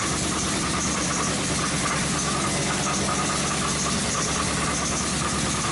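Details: 2005 Chrysler 300C 5.7L Hemi V8, first start after rebuild: steady idle with a dull, regular knock deep in the block under the exhaust note, sounding like rod knock; bottom-end knock, cause unknown.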